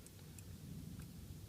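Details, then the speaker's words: Shift Dynamics quick shifter being set up on a 2009-2015 Triumph Street Triple on a stand, in second gear with pressure toward third: a few faint crisp clicks as the micro switch on the heel plate bracket triggers at about the right point. "you can hear the click. So that's about right there."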